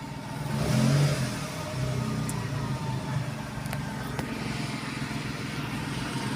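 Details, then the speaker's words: Renault Kwid after fixing the intake manifold vacuum leak behind code DF1058, plus throttle body service and MAP sensor cleaning: smooth, even rev that rises and settles without stumbles or hissing, street noise behind, normal revving. "बिल्कुल normal हो गई गाड़ी silent."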